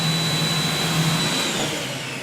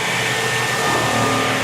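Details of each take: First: And if you listen to the pump, you should hear it change. Did you hear that? So now, we're primed up, ready to go. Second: Kaivac No Touch Cleaning System internal pump, run with the gun removed and the pressure-hose ball valve open: a steady loud whirring hiss with a thin high tone and no load change. The pump is spinning on air, not yet primed.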